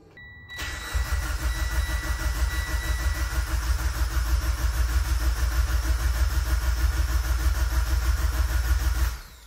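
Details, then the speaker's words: Mitsubishi Evo X with brand-new engine, first start attempt in over two years: starter cranks evenly about three turns a second for nine seconds, never fires; good oil pressure on crank, spark plug bone dry, no fuel delivery. "engine sounds super healthy we got great oil pressure even on crank so I'm good with that I don't think we're getting fuel actually I know we're not getting fuel"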